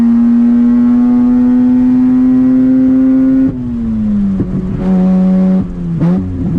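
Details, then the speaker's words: 2004 Mazda RX-8 manual six-port rotary at operating temperature, ignition rebuilt; loud drone climbing in second then stuttering near the top, still missing at high rpm, but less than before; cause unconfirmed. "go all right it's definitely still missing breaking up a high RPM so but not as bad as it was"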